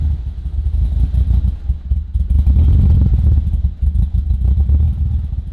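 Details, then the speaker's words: Turbo Ford Fairlane first start on a new Haltech ECU: low lumpy idle hunting and surging instead of settling at the wanted 600-700 rpm; idle control not working, stepper motor suspected, unconfirmed. "Yeah, but the idle control isn't working. Yeah, so it's probably just the stepper motor or whatever."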